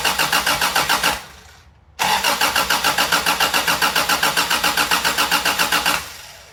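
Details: 1987 4WD Toyota Tercel with swapped 4A-C engine, first start attempt: even starter cranking about three and a half beats a second, two long tries, never catches; starter possibly staying engaged; cranks but won't fire.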